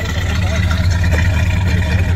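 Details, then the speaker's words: 1975 Ford Thunderbird V8, cold start at -10 °C: deep, lumpy idle with an uneven, loping beat. One cylinder is dropping out and firing only now and then; owner expects it to smooth out at operating temperature. "Dude, it's not even on all eight. That's how good this car is. Dude, doesn't need all eight. No, 8's trying though. It fires every once in a while."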